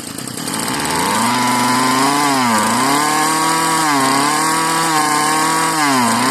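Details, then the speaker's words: Marketplace Homelite-type string trimmer, bottle-fed 2-cycle fuel; sticky throttle cable, and dirt blew out of the muffler on starting. A high, buzzy two-stroke note that surges and sags every second or so rather than holding steady; the owner jokes it sounds hopped up. Cause unconfirmed. "Well, she popped off and ran. It just sounds a little bit different. I wonder why that might be. Almost sounds like it's hopped up a little bit."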